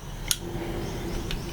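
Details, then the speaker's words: RMD electric strike on battery power after re-keying its cylinder to a restrictor key, set to the red (locked) position: a sharp tick as power is applied, then faint ticks over a low hum; the solenoid moves but the strike stays locked. "And it still remains locked. So the solenoid's moving, but it's still locked."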